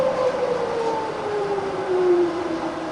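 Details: Fully rebuilt Bridgeport milling machine with new head gears and bearings, variable-speed head wound between about 20 and 60; smooth, steady hum with a clean tone gliding down as speed is reduced, quiet even running, nothing rough.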